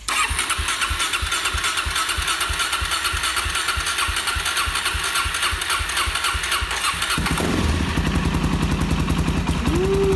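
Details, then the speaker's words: 2019 Suzuki DRZ 400 supermoto being rebuilt after a wreck, first start after turning fuel on, cranking: single cylinder catches and settles into a loud, crisp, even beat, no knocks or misses; sounds pretty good. "sounds pretty dang good I want to see how it run really"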